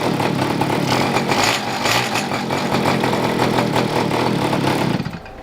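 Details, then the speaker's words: Two-stroke pocket bike, with the fuel mixture being richened on the carburetor: rough, raspy buzz with no steady beat that cuts off near the end; it sounds lean, not getting enough fuel. "Turn in the fuel mixture a little bit, see if I can make it a little bit more rich. It sounds like it's not getting enough gas."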